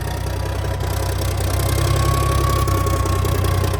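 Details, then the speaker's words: 1987 cabover truck diesel, first start in years, cold: deep, steady idle about three beats a second, even with no knocks or misses; healthy, oil pressure about 40. "Man, that motor sounds pretty good. That thing sounds amazing."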